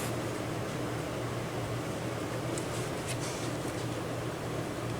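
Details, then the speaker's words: Small cooling fan from a Wanhao Duplicator i3 / Monoprice Maker 3D printer, reassembled after repair and powered on the bench: soft, steady whir with even low hum, no ticking or rattle; running normally, nice and quiet. "nice and quiet"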